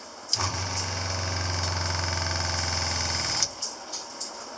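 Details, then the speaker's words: Shurflo motorhome water pump, with strainer and pressure tank, in an off-grid house while the shower runs: it clicks on, holds a steady fine-pulsed buzz for about three seconds, then stops cleanly. Normal operation. "So the pump is a shur-flo. It's a shur-flo pump made for a motorhome, is what it's made for."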